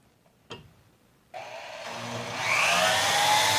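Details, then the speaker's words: Power hacksaw finishing a cut on clamped steel stock for a bracket, cooling oil used; rising hissing metallic rasp that builds and holds steady as the blade bites, normal cutting. "and then i have a power hacksaw here we'll finish making that cut clamp that"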